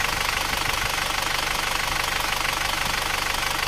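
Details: Isuzu Panther automatic diesel, rebuilt after low compression and stalling at low rpm, idling back at the workshop after the 66 km road test, temperature dropping: even clatter about twice a second, no misses or stalling, and very thin smoke. Healthy.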